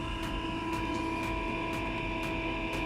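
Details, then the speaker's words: Eberspacher diesel heater on a test bench, previously wired to the wrong supply voltage. A steady fan hum with a soft tick about twice a second and no combustion roar; the fan drops to low speed for a ventilation purge cycle before retrying start. "do do it cycle of ventilating before start starting again yeah exactly when i stopped the video the fan went to the lower speed and now it should be trying to start again anytime"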